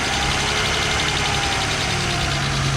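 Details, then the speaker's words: Old Mercedes 300SL that sat for 9 years, first start and warming up at idle: a slow, uneven breathing surge in the exhaust note. Owner unsure whether the mass airflow sensor or something else is the cause. "Yeah, it sounds like it's breathing a little bit, but I don't know if that's like a mass airflow sensor or something else is going on with it."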